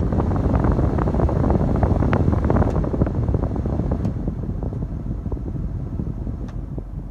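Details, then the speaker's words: Foton Tunland 4x4 double cab, 2.8 Cummins ISF diesel, engine running, aircon off, cabin blower stepped through speeds 2, 3 and 4: even whooshing airflow growing stronger each step; blower working properly. "I'm not sure if you can hear the huffing sound. That's the 2. That's the 3. That's the 4."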